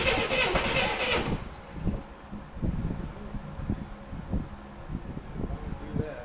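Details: 1984 Chevrolet C10 pickup, six-cylinder, 84k miles, parked since 1993: slow, uneven cranking with gas in the carburetor that never catches.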